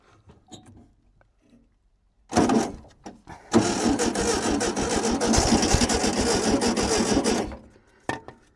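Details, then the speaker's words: VW T2b pickup abandoned 34 years; the starter cranks at about 3.5 turns/s for several seconds but never catches, and the crew suspects an electrical/current problem. "Ta provojmë edhe një herë, se diçka nuk shkon me korrentin."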